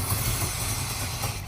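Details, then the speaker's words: 1968 Chrysler Town and Country wagon, 440ci big-block V8 idling roughly with a stumbling low beat after a fuel-system fix: still a miss, suspected large vacuum leak, ignition timing at 0. "Does it have a big vacuum leak? Well, yeah, that's a guess, and it's also at 0 timing."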